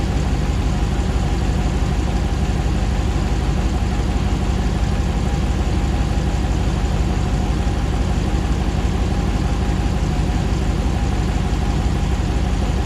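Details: 2009 Hemi 1500 TRX4 auction truck, first start after months of rebuilding: smooth even V8 idle at about 87 psi oil pressure, settling while warming, no hunting, ticking, knocking or jerking like before; normal idle.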